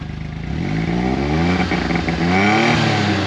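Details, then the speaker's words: 2016 John Deere Gator 825i after fuel pump replacement: engine catches and settles into an even, steady run, rising smoothly with throttle, no misses or stumbles. Normal idle; owner believes the old pump was the problem. "All right, guys. I can't say if it's running like a brand new one because I've never owned a brand new one and this one ain't mine."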